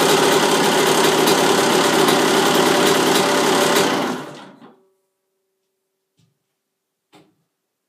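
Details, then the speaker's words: 1999 Honda CR125 two-stroke just cold-started in the cold, smoky: a high, buzzy note held at steady revs for about four seconds, then shut off with the kill switch; the engine runs healthily. "so yeah it starts up and a couple of kits a couple kegs of the cut start it up it's cold in here a lot of smokey smoky smoky cold"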